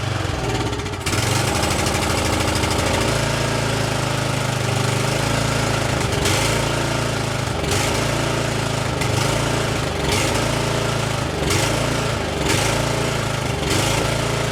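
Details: Exmark commercial mower started on choke: loud small engine whose note rises and falls every second or so instead of holding steady; surging from lean running.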